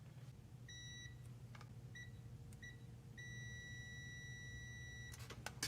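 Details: Mazda RX-8, six-speed manual, P0850 neutral switch code with cold-start surging idle: meter continuity beep cuts in and out in four uneven bursts after sanding corrosion, showing poor, dirty connector pin contact; partial fix, more cleaning and dielectric grease.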